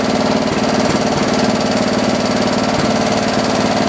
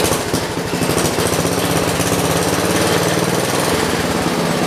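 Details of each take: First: John Deere 112 round fender tractor with a Kohler K181 single-cylinder, after governor and throttle assembly adjustments: a steady speed with an even beat and no hunting. Running normally; the owner thinks the idle needs lowering a little. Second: John Deere 112 round fender, single-cylinder Kohler K181 with new carburetor after flooding issue; loud chug holds at one low speed with no pickup when throttled; engine won't rev up, governor and throttle assembly being adjusted.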